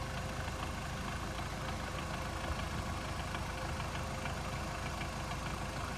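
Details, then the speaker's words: 2008 Hyundai Accent, warm after 30 km, idling in neutral, phone placed on the left side: faint, irregular light knock about three per second from the gearbox area; owner suspects the release bearing or input shaft bearing, cause unconfirmed. "Проехал 30 километров. Появился небольшой стук. Давайте послушаем ."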